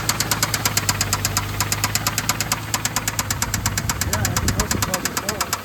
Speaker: You can hear the engine knocking. Burning some oil, too. Definitely could use a motor, but another project for the books.